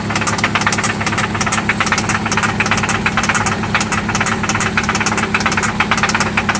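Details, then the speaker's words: 1995 Toyota Celica ST at idle, after an oil change and new spark plugs: loud, steady knock about twice a second, seeming to come from one spot; cause not pinned down. "Yeah. It's loud. Oh yeah. This is what that sounds like. It sounds like it's only coming from here though."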